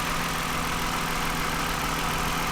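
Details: 2009 Toyota Highlander, 276,480 miles, cylinder 2 misfire with engine light; after swapping coils the misfire went away; steady even idle hum, no stumbles or skipped beats; normal idle.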